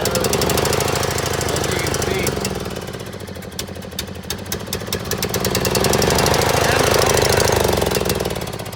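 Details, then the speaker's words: John Deere L100 mower, with couple-years-old rank fuel: small single-cylinder stumbles and surges, lumpy firing with speed sagging and recovering; rough running, owner suspects stale fuel. "I mean the fuel in this thing's a couple years old anyways back in the day that wouldn't matter at all but nowadays but nowadays it means a lot"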